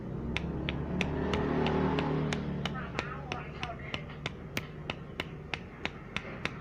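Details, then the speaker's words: Honda Supra/Legenda motorcycle engine torn down for rough noise and smoking: loose connecting rod rocked by hand gives sharp separate clicks, about three a second, meaning it would knock once assembled. Connecting rod big-end play, worn bearing. "mas bro, kalian mendengarkan dengan suara stang yang bunyinya itu klek gitu mas bro. Jadi ntar kalau dipasang pasti dia bunyi glukak ya, seperti itu."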